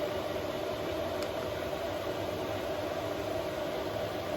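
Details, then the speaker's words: 5 kW Chinese diesel heater newly installed in a 2023 Ram ProMaster van, running after the air bubbles were bled from the fuel line: constant airy fan rush with a faint steady tone and no surging or rattles. It puts out strong heat, operating normally. "wow that's really warm you can put down an amazing amount of heat we're gonna turn it down just a little"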